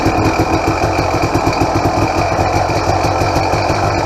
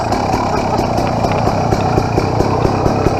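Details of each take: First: 2007 KTM XCW300 two-stroke on 50:1 premix, cold and on choke: a fast, even idle with a light, rapid mechanical chatter over the exhaust beat. Owner says the power valve is noisier than usual and was not rebuilt; a bushing might quiet it. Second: 2007 KTM XCW300 two-stroke after a new fuel petcock and spark plug install, still cold: a steady, even putter with regular firing and no misses, knocks or rattles. Normal, clean idle.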